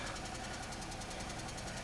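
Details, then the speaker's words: 2003 Pontiac Grand Am GT at idle: quick even light ticking, upper-end sounding rather than deep knock; owner suspects lifter noise rather than rod knock, possibly needing new cam and lifters. "that definitely sounds like upper end noise i can't get it off now oh well all right so i think that's lifter i think that's a lifter noise"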